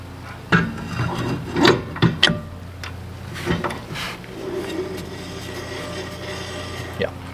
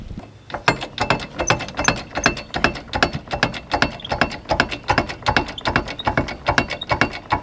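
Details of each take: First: RV wheel after a brake adjuster is lengthened to spread the shoes, hand-spun: a soft, intermittent rasping rub that fades as the wheel slows; the brake shoes are dragging only lightly on the drum. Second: RV wheel that made a terrible noise arriving at the campground, jacked up near the spring with sparkly debris on the wheel, spun by hand. A rough, regular clicking scrape two or three times a second means something is coming apart inside the brake drum.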